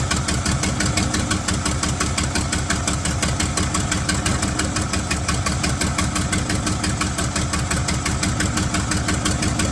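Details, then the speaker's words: 1975 White 2-150 tractor, diesel, first run after about 19 years dormant with no muffler: loud, raw, steady lumpy beat; it fires evenly and keeps running cleanly. "well what a fantastic result to see this engine running after about 19 years laying dormant"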